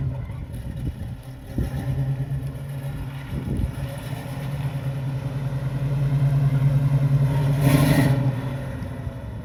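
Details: 1968 Chevrolet Camaro after a temporary taped wiring-harness repair: it cranks briefly, fires and settles into a steady rumble that rises smoothly on a throttle blip. It starts and runs normally.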